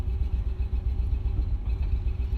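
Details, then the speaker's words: 2000 Mercedes-Benz ML55 AMG, never run right since purchase: low, lumpy rumble stumbling and chugging irregularly while crawling under throttle at about six mph; heavy misfire under load, cause not found. "okay it's kind of running like junk right now it's misfiring quite badly"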